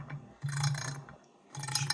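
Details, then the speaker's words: JEGS XHD torque converter, pulled after running hot, turned slowly by hand on input shaft: two bursts of loose metallic rattling inside; owner believes fins came loose, possibly broken or poorly brazed. Loose torque converter fins. "hear that um I believe it's the fins came loose um sometimes they break or they're not braised well but this converter was hot"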